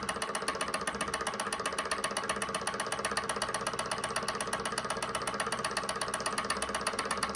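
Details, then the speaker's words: SunnyTech Silver Stirling hot-air engine on denatured alcohol, started before fully up to temperature: light even ticking about four beats a second, no knocks or rubbing, starting slow and picking up speed; normal running. "so you can see it start off slow and build up speed so let's see here we go there she goes picking up speed now"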